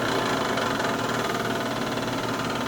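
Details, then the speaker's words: Chinese diesel heater starting after sitting 8–9 months, priming cycle: steady rough whirring hum with gritty edge, no clean tone; owner recalls the noise from last season though it kept running; worn blower motor ball bearings, needed replacing. "that doesn't sound great but what it does first is it it starts priming yeah I remember this sound at the end of last year but it kept starting and kept working strong"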